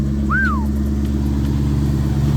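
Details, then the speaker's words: 2004 Mustang SVT Cobra V8 back on the road after cooling system work, with what are believed to be Borla S-Type mufflers and an X-pipe: deep, even burble at idle with steady pulses and no misses or ticks, sounds healthy. "yes sounds good I believe these are the borla S-Type Mufflers some sort of x-pipe on there"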